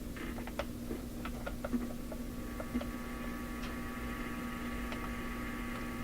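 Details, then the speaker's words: Classic Addison 5-tube radio, wooden version: steady low mellow hum that doesn't change with volume, plus a second, higher hum introduced when the volume is turned up; persistent hum fault. "When I turn the volume up, that hum doesn't change. What happens is another hum is introduced."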